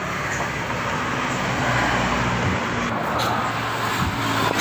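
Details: Yamaha Lexi scooter CVT after refitting and straightening the boss that caused a growling, knocking noise at the rear: steady, even drive hum with no growl or rattle over light road noise. The CVT now runs smoothly.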